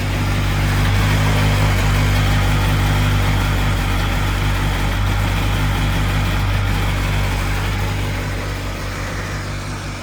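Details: 2002 Sea-Doo Sportster LE boat, 951cc two-stroke, first start after a rebuild combining two boats: strong, even drone with steady firing pulses, a brief rev then settling back; normal healthy running.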